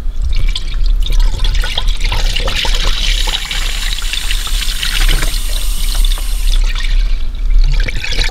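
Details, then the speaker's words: Dodge Grand Caravan 3.6 V6 coolant refill: bleed valve on top of thermostat hisses and gurgles as air escapes, settling toward a steady coolant flow before it is closed. "you'll hear a hiss coming from it and you want to keep doing it until you actually get a steady flow of coolant coming out of there"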